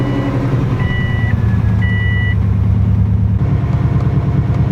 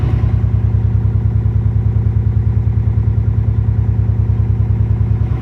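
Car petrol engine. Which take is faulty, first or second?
second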